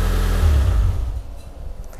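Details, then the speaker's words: Honda Civic Ferio (Genio), cold engine, after adjusting uneven valve clearances that caused exhaust stumbling ("brebet blub blub"): quick clean rev blip dropping smoothly back to steady idle, no misfire or clatter; throttle response good, though engine still drops and injection to be checked. "Didengar tuh enak banget suaranya. Jadi nggak terlalu kasar, nggak terlalu halus banget ya. Jadi sepertinya enak banget. Nah, spontannya itu enak banget."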